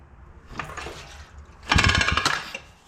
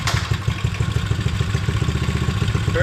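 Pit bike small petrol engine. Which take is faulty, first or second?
first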